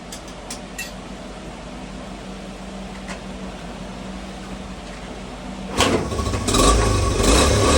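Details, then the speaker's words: 1986 Honda CT110 at first start after a carburetor rebuild, before the mixture screw is adjusted. Quiet, even low idle thrum that picks up cleanly on throttle without stumbling; normal running. "Actually sounds pretty good."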